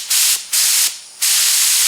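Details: HVLP spray gun as air pressure is lowered to about 1 psi versus about 25 psi: three sharp airy hiss bursts cut off cleanly, then steady spray; paint bubbles out rather than spraying at low air pressure.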